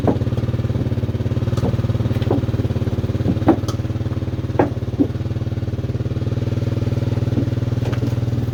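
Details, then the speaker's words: 1986 Chevrolet Silverado with original 305 small-block, before swap to a 350: steady low idle thrum with uneven knocks and pops every second or two; rough running, cause not clear. "i don't know how well you could hear it she ain't sounding too good"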